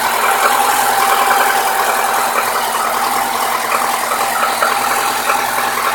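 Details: New Lada Niva 21214 on a cold engine. A sharp, fast ticking knock, about three per second and uneven, near cylinder 4 on the manifold side, which disappears after full warm-up to 70-80°C. Cause unknown.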